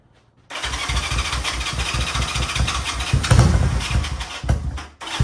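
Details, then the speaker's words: Honda CB360T twin, not run for many years, first startup with carbs fitted, adjustment uncertain, little air filter, full choke, cold: short crank, then fires and runs lumpy, rising and dipping unevenly; normal cold start on choke. "see what we got for choke we are at full choke let's do the no jump"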